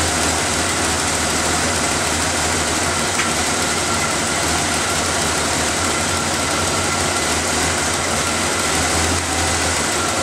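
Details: Engine started after the vacuum lines, air filter and cover were refitted, to listen for leak hissing; steady even idle with a smooth low drone, no hiss, tick or stumble. Normal idle.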